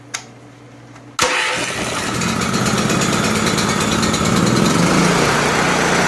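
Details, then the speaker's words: Honda generator engine converted from pull start to electric start, cold outside, on choke, started from a battery charger: short crank then catches at once and settles into an even, steady idle; normal start and idle. "I'm just using my big battery charger to start this with. So I'll show you that it runs."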